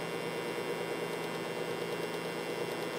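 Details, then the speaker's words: Modified variac overdriven through home-made ballasted power strip with heater ballast limiting amps; steady buzzy electrical hum of variac pushed past rating, output starting near 0.01 V as it is cranked up toward about 204–206 V. "now you can hear the uh the angry hum that this thing puts out and this is why it needs the ballast"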